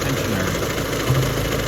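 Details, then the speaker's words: Car engine at idle after its loose, slapping timing belt tensioner was fixed: quiet, smooth, steady idle with no slapping or rattle from the timing belt area; healthy running. "It's pretty quiet, isn't it? I fixed the horrible sounding sound."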